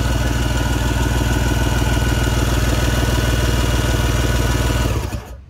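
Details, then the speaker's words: Personal watercraft engine that sucked in water, cranked with plugs out and fogging oil in the cylinders, after about 4–5 minutes of cranking: steady, even starter cranking, still expelling water but much less. "this is after about four minutes five minutes of cranking this still quite a bit over out but it is much much less than it was"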